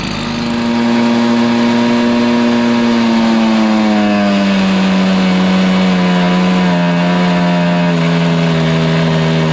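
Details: Stihl BR430 two-stroke blower at full throttle: engine runs up then pitch sags and bogs instead of holding speed; idles fine, owner suspects fueling issue, high-side carb adjustment made no difference, spark arrestor only slightly dirty.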